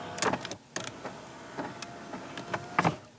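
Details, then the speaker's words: Pontiac Grand Am GT SC/T door: short whirring bursts and clicks as the switch is pressed, but the glass doesn't travel; the motor runs while the window stays stuck, and the owner suspects a bad regulator. "So my assumption is the regulator's bad."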